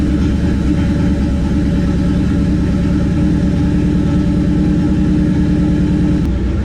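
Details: 1969 Plymouth Valiant, stock 360 Magnum V8 with new heads, FiTech EFI, GT45 turbo, first start-up and heat cycle after blown head: even, steady V8 idle with smooth regular beat, no knocks, misses or hunting; cold start on EFI good, normal idle.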